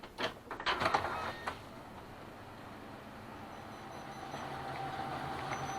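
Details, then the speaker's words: Kyocera M2040DN document feeder after squeak/whistle fix, reassembled and restarted: a few paper-handling clicks then a soft even hum, no squeak or whistle; normal feeder operation, function unaffected. "Все, сверчков, естественно, нет, то есть он просто не сможет этого делать. Больше никогда в жизни."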